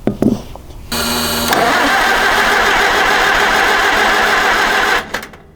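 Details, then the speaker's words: 1961 Oliver 550 tractor with a Marvel Schebler carburetor, after bending the float tabs to raise float height: the starter cranks steadily at about four pulses a second for four seconds but never fires. Fuel is not reaching the carb, and the owner suspects old gas. "yeah so that was pretty much a waste of time um had to try it but again wasn't expecting anything obviously for some reason we cannot get fuel from here to in there and we have everything that we should have"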